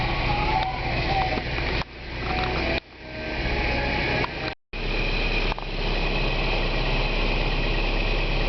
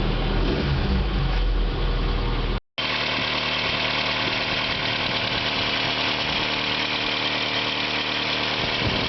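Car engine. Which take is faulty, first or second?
second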